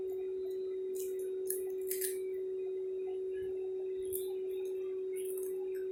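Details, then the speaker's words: New Q9 wireless Bluetooth mic in rose gold, tested connected to a phone app. A steady, pure mid-pitched hum from its built-in speaker drones under light handling clicks and grows when the volume is raised: constant hum. "Masih kedengeran ya dengungnya ya. Tak ku mengerti mengapa begini. Dengungnya masih ada."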